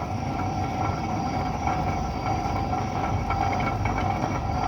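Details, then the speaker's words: Truck rolling slowly, under about 10 mph: a loud, steady grinding roar with a droning hum from severely trashed wheel bearings. "your wheel bearings definitely should not roar like that never"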